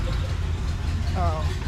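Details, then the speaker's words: Big-block 454 Chevy, off the road since 1998, idling in the donor truck before swapping into a 72 C10: deep, even V8 burble with no ticks or knocks. Oil pressure about 30 at idle, healthy. "so all right we know it runs doesn't make any weird noises we'll take it"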